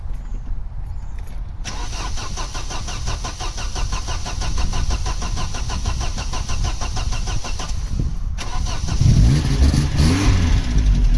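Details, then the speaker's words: Vauxhall Cavalier CD 2.0 16v petrol, high mileage: starter cranks about four turns a second for six seconds before the engine catches, revs and settles to idle; long cranking blamed on a fuel leak causing a petrol smell. "now the reason that the cavalier took so long to start there is because it said i'll reek of petrol off it for a good few months now so you should probably go and sort that out"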